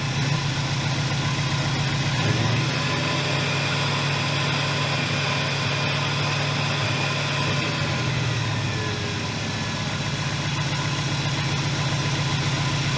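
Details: 1981 Buick LeSabre, Oldsmobile 307 V8, after battery reinstalled: deep lumpy, uneven idle with occasional stumbles over steady rumble; rough running, owner suspects worn distributor shaft, timing or vacuum leak, unconfirmed.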